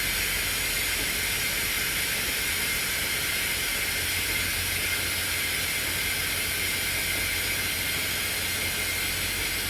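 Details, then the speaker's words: Semi trailer with missing parts, trailer brakes set: loud steady hiss of escaping air, no engine under it, as the trailer air suspension dumps; air brake leak awaiting parts. "And I'm going to show you what it does whenever you set the trailer brakes."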